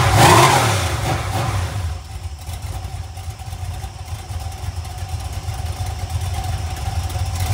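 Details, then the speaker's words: Iron 5.3 LS LM7 V8, believed 2002–2003, likely BTR Stage 2 truck cam, on a run stand; revs fall from a blip to a low choppy idle guessed at about 600 rpm with cam lope, valvetrain noise gone, healthy. "yeah that's definitely got some sort of L to it and I've got it idling down pretty [Music] low"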